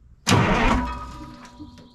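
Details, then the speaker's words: 1980 Peterbilt 359 EXHD with 3408 Cat diesel left sitting for years, first crank via 24-volt starter solenoid before fuel work: one sharp, strong starter engagement spinning the engine freely then tapering off; cranks normally. "Jeez, that turns really well."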